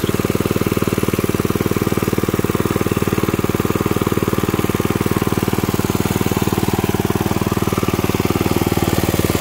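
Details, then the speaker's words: 1979 Mountfield M1 Monarch 5HP rotavator, first start in 20+ years after new coil, fuel pump diaphragm, spark plug and exhaust, started second pull after choke: smooth, even fast idle, regular firing, no misses or knocks; normal running. "I choked it pulled it spotted and then first pull and it really went really impressed"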